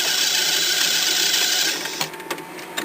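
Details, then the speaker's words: Auto-reversing tape player over 30 years old, rewind mechanism: harsh, high-pitched screech while rewinding, then a few clicks as it stops. The rewind drive is dry and needs greasing. "it also needs uh greasing cuz uh hit screeches like nothing else I start it up start hearing that's the first part that's the rewinding part unfortunate it's really noisy"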